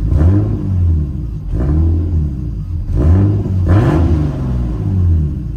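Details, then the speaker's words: Turbo M50 BMW E30 on a new tune with extra idle fuel added. Four quick throttle blips rise cleanly and return to a steady idle; response is immediate with no hesitation, though the engine still runs lean. "That's perfect. It's responding immediately right when I touch the gas."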